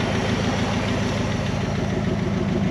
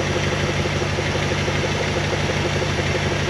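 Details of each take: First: 1974 Dodge W100 Power Wagon V8, running after sitting since 1983. Even idle with raspy puff on each firing pulse from a big exhaust leak before the muffler; runs too well for a burnt valve: exhaust leak. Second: 1974 Dodge W100 Power Wagon V8 revived after sitting 41 years: deep, even idle with steady low rumble, no popping or blow-by; exhaust leak before muffler; engine healthy, sluggish under acceleration possibly from the transmission.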